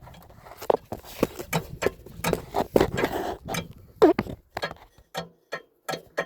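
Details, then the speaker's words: 2004 Nissan Frontier supercharged 3.3, about 49,000 miles, starter removed, from under the truck: irregular sharp metallic clunks as torque converter is rocked by hand; loose converter bolts, sounds like rod knock. "Okay? That's that torque converter slapping around in there because that bolt one at a time."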